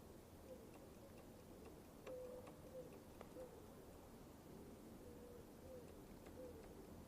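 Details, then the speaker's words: Sinnis Apache 125cc motorcycle, newly replaced front brake light switch (old one corroded, silent): faint crisp clicks as the brake lever is worked, switch snapping on and off and brake light working; normal. "it's easy and simple guys it's really easy and simple and as you guys can actually hear the clicking sound"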